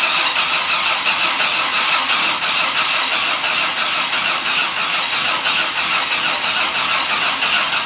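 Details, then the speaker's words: 1983 Ford Fairmont Futura with swapped turbo Vortec 4200 DOHC VVT inline-six, first start attempt: even starter churning for eight seconds with no catch or firing; cranks but won't start, fuel pump not running while cranking. "it's not even trying to fire well pump's not running does that matter"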